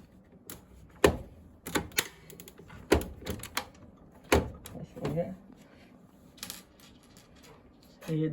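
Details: SP-1130 scanner during a feed/scan cycle: irregular sharp clacks and knocks with no steady rhythm; abnormal mechanical noise.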